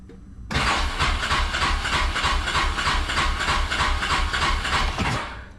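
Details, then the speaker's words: 2017 Can-Am Defender HD5 that would not start; fuel pump heard priming and check engine light on; steady starter churn at about three strokes a second for five seconds that never catches; crank, no start, no spark. "Definitely not cranking up. Got to check engine light. Check engine."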